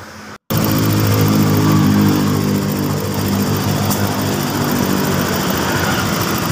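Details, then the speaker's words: Mio M3 scooter, formerly rough and weak, after new piston and camshaft parts: fires up and holds a steady, even note with no knock or top-end rattle, no longer rough, runs strongly without hesitation; normal running. "Tidak sudah tidak kasar lagi mesinnya oke sekarang untuk larinya juga kenceng tidak tersendat-sendat"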